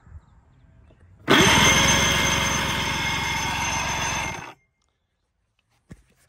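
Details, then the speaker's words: Henry O 160 fishing boat engine, sat over 25 years, cranked by hot-wired starter with spark plugs out after soaking in penetrant to expel oil: three seconds of fast even whir, no compression pulses; turns over freely, not seized. "so it definitely will spin over. I've got the spark plugs out of it where I had it soaking. I just hot wired the starter to spin it over to get that oil out."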